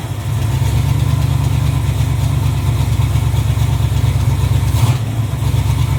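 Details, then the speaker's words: 1986 Chevrolet Camaro Z28 350 small-block V8, running off the tank with new fuel line, oil pressure and charging; previous owner had backfiring; deep steady even V8 idle, no knocks, misses or ticks; normal idle. "All right. That's idle. I don't think there's anything wrong with this motor. It's running off the tank."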